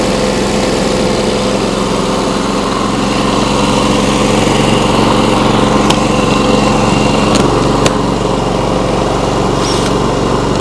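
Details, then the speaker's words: Briggs & Stratton P3000 generator after fuel pump replacement and tune-up, on premium no-ethanol fuel: steady, even single-cylinder buzz with no misses, surges or knocks; runs smoothly. "Well, that sounds really nice. Just make sure there's no leaks by the carburetor or anything."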